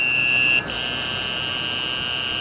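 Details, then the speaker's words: Power inverter running a fan off a weak restored lead-acid battery; turning the fan on drags voltage from 11 to just under 10 volts, the inverter slows and a steady high-pitched buzz sounds continuously after a brief dip. Inverter low-voltage alarm. "Hooked up to the inverter, I have this old piece of shit fan, which I'm going to turn on right now, and you can hear the inverter motor slowing down, plus an alarm going off."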